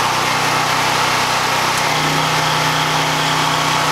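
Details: Harbor Freight Predator 9000 W generator powering the whole house after transfer (lights, well pump, refrigerator coming on): steady drone settling slightly lower as load comes on, holding speed evenly; healthy under load.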